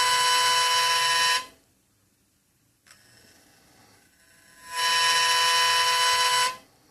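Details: DJI H3-3D camera gimbal on a drone gives a loud, harsh electric buzz near 500 Hz, heard twice, only when tilted to a certain pitch angle: gimbal motor noise.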